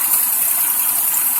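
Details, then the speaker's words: Buick Rendezvous idling: light, quick, distinct tap-tap lifter noise, heard better with the camera moved to the right, over the hissy whine of a damaged power steering pump that is quieting down. "can hear the tap, tap, tap, tap, tap, the lifter noise. The power steering pump is quieting down a little bit so you can hear a little bit better. It's a pretty distinct tapping noise."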